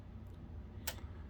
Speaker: This on-off button is just a click. It's not really one of those kind that you push in. So if I hit it, and yeah, it's just got a short throw on it. You can hear the relays kicking